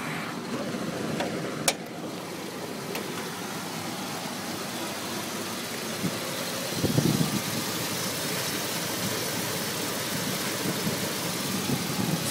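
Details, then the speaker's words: Dodge truck with check engine light: uneven, stumbling rough idle with a faint sucking hiss from under the intake; owner guesses the distributor area, cause unconfirmed. "kind of making like a a sucking sound coming from somewhere under here or under here. guessing it's like it could be the distributor back there. But yeah, it's run. It just run really rough."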